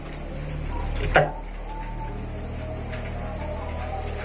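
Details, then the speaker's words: National semi-automatic gas water heater being tested; gas is switched off and a single sharp click lands about a second in over a quiet background hum, the gas valve solenoid releasing normally. "kita matikan lagi sampai terdengar cetek"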